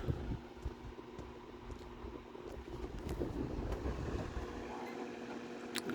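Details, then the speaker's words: Vornado 280SS 10" variable-speed desk fan from the mid-1990s at medium-low, near medium. A quiet steady low hum with soft airy rush and no rattle or scrape: normal running. "feel like this is in like the medium low range maybe almost medium just under one"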